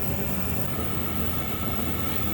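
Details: Chinese diesel air heater run two years on waste oil, just cleaned out after failing to start, at max setting 7.2: steady, even roar with low rumble and constant fan rush, no sputtering or surging; burning cleanly, steam from exhaust.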